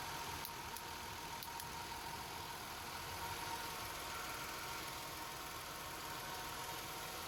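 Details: 2017 Nissan Altima after oil pan and strainer replacement fixed a whining noise on start and acceleration: quiet, steady idle hum under a light hiss, no whine or knocking, normal healthy idle.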